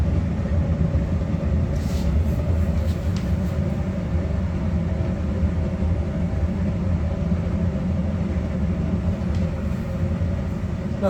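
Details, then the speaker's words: Electrolux PerfectCare 800 EW8H458BP tumble dryer, 6 years old, just after replacing worn drum rollers, not yet levelled: smooth even drum rumble with no knocking, wobble or scraping; drum no longer losing its axis. "cisza przestała się bujać bo ona się bujała lekko przez to że przez te wytarte rolki zniszczone bęb tracił oś Nie ma hałasu prac"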